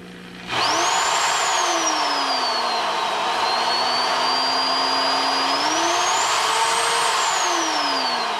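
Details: Drill used as a demonstration of a healthy bearing, with the bit tightened down snug: a clean, steady motor whine rises and falls smoothly with trigger speed, with no wobble or rattle, so the bit is running true.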